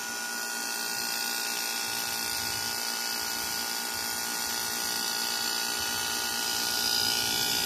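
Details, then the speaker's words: 2002 Whirlpool 5000 BTU window air conditioner, curbside find: after the thermostat clicks on, the compressor runs with a steady high-pitched, buzzy, whirring hum, louder than it should be but blowing cold; fan weak despite a capacitor swap. "thermostat seems to work it just clicked on compressor is a little bit noisy"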